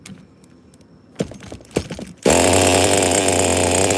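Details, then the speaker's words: Megatech Razor M16 nitro engine after fitting a new piston and sleeve, compression backed off slightly, near room temperature, idle still to be raised: catches after a few clicks and holds a high, steady, clean buzz; normal running. "I think we got ourselves a sickening runner, bros. I think this is all worth it."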